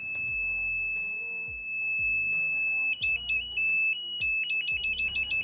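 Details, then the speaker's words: Rinrei DVB-T2 set-top box, totally dead, with previously replaced bulging capacitors: its EWS warning buzzer sounds loud and steady, then in short bursts, while the board won't power up; checking 1.2 V and 3.3 V rails, cause not confirmed. "Buzzer masih bunyi kenceng nih. Cobalah nih saya tutup dulu aja lah nih buzzer ini biar nggak terlalu kenceng."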